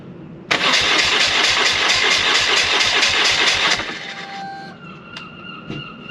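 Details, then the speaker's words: BMW R1100R motorcycle after a replacement coil was fitted, which did not help: it cranks hard about three seconds, then fades instead of idling; it dies on throttle, the fuel pump primes and the battery is a little low. "everything runs but it dies as soon as it goes into throttle it dies it dies out a little waddle"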